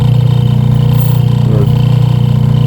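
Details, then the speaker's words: Washing machine motor run alone with gearbox belt removed: steady even low hum, no knocks or grinding; motor healthy, so the noise comes from the faulty gearbox, to be replaced. "Maganda ang e ang tunog ng motor tining. Ibig sabihin ito ang sira niya. Gearbox ang sira niya."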